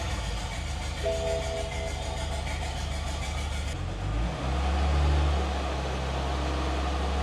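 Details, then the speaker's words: BMW F25 N57 diesel first start after timing chain job with new crankshaft for failed main bearings, fluids refilled: cranks, fires at once, settles into a steady even idle with no knocks or rattles; runs normally. "Cool, it works normally."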